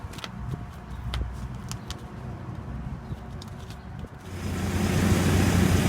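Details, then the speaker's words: Exhaust pipe leak sealed with Tiger Patch muffler tape wrapped at both ends and heat-cured: after clicks and handling, the engine settles into a smooth, even hum with no puffing or ticking; leak gone. "you can hear it it definitely solve the problem the exhaust leak is completely gone"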